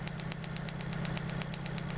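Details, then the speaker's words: 1995 Mitsubishi Libero 4G15 with new distributor cap, spark tester on the number 1 plug wire going from 30 to 40 kV: sharp, even snaps about eight a second over a low engine hum. The spark is strong between 20 and 30 kV and trips out by 40 kV. "That means, you know, it exceeds its gap, right? But it definitely give me a strong, you know, voltage between 20 to 30."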